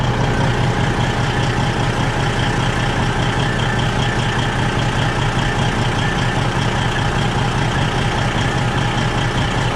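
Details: Freightliner truck idling, loud steady rumble with faint quick puffing about two per second; strong exhaust smell in cab from exhaust leak, most likely at front flex pipe, checked with soapy water before replacing flex pipe.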